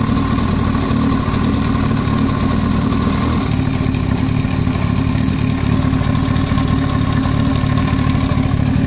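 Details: Yamaha YZF-R1 inline-four at even idle: a quick metallic tapping from the head above the exhaust note, an abnormal top-end knock of unknown cause.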